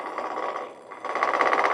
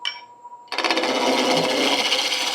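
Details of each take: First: Ash blank turned on a Shopsmith MARK 7 lathe: smooth cutting hiss turns into a rapid, even clatter as the gouge bounces and rattles on remaining flat spots; may partly be cutting through a wormhole. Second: Shopsmith MARK 7 lathe turning an ash firewood blank into a long bud vase: steady, even rasp of the gouge with no rhythmic bouncing once the blank is round; smooth cut.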